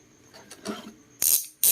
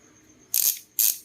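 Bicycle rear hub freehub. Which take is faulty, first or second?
first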